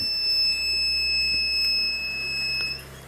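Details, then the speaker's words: 4000 W Smart Power inverter that had sat unused for a long time and would not turn on: at power-on a steady high-pitched beep holds for nearly three seconds, then cuts out; fault alarm. "ถ้าเปิดแล้วมีเสียงAlarmนะครับผมก็ไม่รู้เป็นอะไรเหมือนกันนะครับ"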